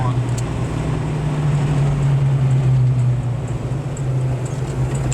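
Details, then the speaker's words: 1986 Mustang V8 after repair with new TrickFlow heads, fixed vacuum leaks, new fueling, mild cam, speed density: deep, even exhaust rumble while driving, no knocks or rattles; drives really good, idle may need slight lowering. "but man it it's driving really good now"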